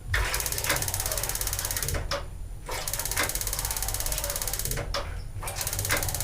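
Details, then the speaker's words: LPG gas water heater just fitted with a new regulator: rapid steady igniter ticking with short pauses and no flame whoosh; burner not lighting because gas hasn't yet come through the new regulator, normal after installation. "Oke, saya anggap tidak berhasil. Itu normal saja teman-teman, karena baru memasang."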